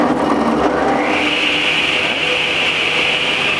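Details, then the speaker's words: Delta Unisaw repulsion-induction bullet motor under repair, with the brush ring positioned to set rotation: it spins up in about a second to a steady, even whine with no rubbing or grinding, and the blade turns in the proper direction. "and you can see the blade is spinning proper direction"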